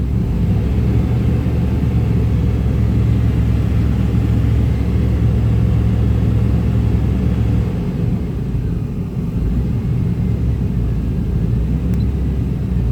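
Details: 1995 Chevy Tahoe K-series 5.7L V8 rough idle: loping uneven beat with a dip; scan shows throttle position sensor not communicating, truck won't shift, TPS replaced twice; owner suspects wiring; smoke seen near passenger-side headers.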